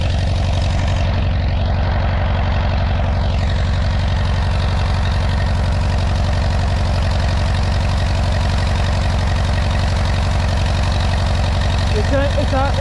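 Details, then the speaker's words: 1957 Allis Chalmers IB (B series) tractor, first start after sitting a couple of years: low, slightly uneven, lumpy chug at idle, about four pulses a second; runs a bit cranky and needs more running time. "she needs to be running a little bit more because she's a little bit cranky because she hasn't been running a long time"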